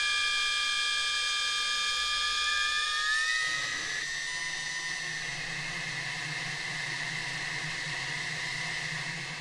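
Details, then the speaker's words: Audi 2.2 Bosch K-Jetronic, five new injectors bench-tested: a steady, high hissing whine whose pitch steps between idle, half throttle and full throttle, with identical spray patterns. Normal injector spray. "absolutely spot on and you can hear from them from the noise of them as well they have a different pitch at uh you know idle half throttle and full throttle and the spray pattern was identical in all five"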